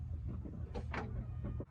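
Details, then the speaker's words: 2005 GMC Canyon 2.8, cold engine, after new spark plugs (one vacuum hose still unplugged): revs up cleanly in quick blips and settles without stumbling or misfire; runs better, healthy. "And just like that, it runs better."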